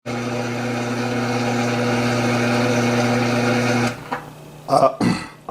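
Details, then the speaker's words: Samsung dishwasher showing LC leak code, stuck in the code with the pump running continuously: steady low motor hum that cuts off abruptly, then a few brief knocks. "llc called lc call this code that means your dishwasher your dishwasher is leaking and that's why it is making that noise"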